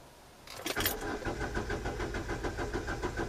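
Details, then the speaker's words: 2010 Hyundai i20 diesel with sudden power loss, cranking steadily about three to four beats a second during a scan-tool test with injectors shut off, never firing; won't start because injectors are disabled. "so the it won't start cu the injector off"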